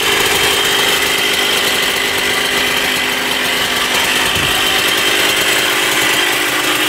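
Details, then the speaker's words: 1994 Honda CR125 two-stroke dirt bike, with a temporary gasket-maker fix on the coolant-leaking cylinder/head: loud raspy high crackly buzz with a thin hollow edge. The owner thinks it sounds lean and needs richer jetting. "all right this thing also needs to be jetted a Ted richer it uh it sounds pretty lean to me so we'll have to do that as well"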